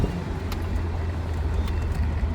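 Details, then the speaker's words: BMW E30 on the road after fixing a loud wailing brake noise with synthetic caliper grease and brake quiet: only low steady road rumble while rolling and braking, no squeal or scrape; brakes now quiet and smooth. "No noises, no nothing, smooth operation. Oh man, much better. Brakes are working good."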